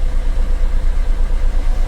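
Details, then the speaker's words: Maruti Suzuki Ritz diesel after the defective alternator was replaced, which had caused the battery warning and check engine lights: steady low idle with an even pulse, no knocks or misses; normal idle. "जो इसका अल्टरनेटर था इसमें डिफेक्ट था, तो हमने इसमें जो अल्टरनेटर है दूसरा इसमें रिप्लेस कर दिया है।"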